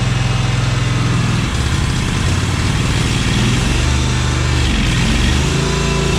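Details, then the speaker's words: Cub Cadet 1864, after the fuel flow fix. It runs steadily but with a slightly ragged idle beat and is still running a little lean. The carburetor will be opened and cleaned, though EPA-lean tuning may limit improvement. "I'm still gonna pop the top off this carburetor here and take a look inside because it's running a little lean."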